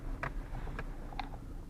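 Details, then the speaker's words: Renault Duster driven on rough road; three short, sharp squeaks about half a second apart over low road rumble, mostly from the rear of the cabin; door opening rubber seals squeaking. "Когда едешь по такой дороге, в салоне появляются такие скрипы,"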